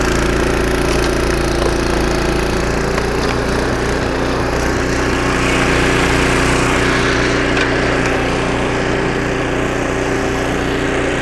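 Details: Snowblower about 25 years old, single-cylinder engine after carburetor rebuild with carb kit and new needle and seat: steady even drone under load, no misses or surging; normal running after repair.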